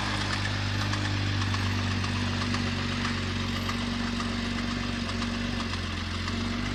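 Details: BMW X6 engine idling with a deep, steady knock about two or three per second that keeps pace with the engine; a connecting rod was first suspected, then doubted, and the engine is to be replaced.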